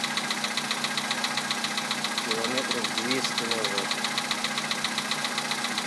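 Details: VW Polo sedan 2011, 64,000 km, Liqui Moly Molygen 5W-40 recently changed, 98 petrol, +2°C outside: steady, sharp ticking knock about 2.5 beats a second over cold idle; cause not pinned down.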